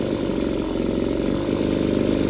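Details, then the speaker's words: Two-stroke hedge trimmer with a burnt-up, scored piston and no pull-rope resistance: high buzzy idle that wavers and stumbles, won't stay idling, surges, then screams at full throttle; rough surging idle. "It will not stay idling. I'm going to give it full throttle and just listen to it scream. It surges when it idles."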